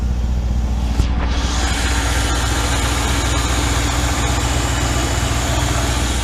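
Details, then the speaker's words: 1995 BMW 530i E34 V8 5-speed, started first try after sitting over a month: loud, steady, even idle with no misses or knocks; exhaust sounds cut off in the center; running normally. "right away this cars been started in months supposedly and that started up first fry that's BMW reliability for you sounds like the exhaust is cut off in the center"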